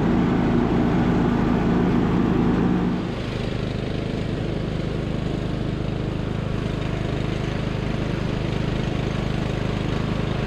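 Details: Abandoned MTD Bolens riding mower revived: small single-cylinder engine restarted after fuel valve was found off, blades engaged; brief surge then steady, even beat of about four per second, running super smooth.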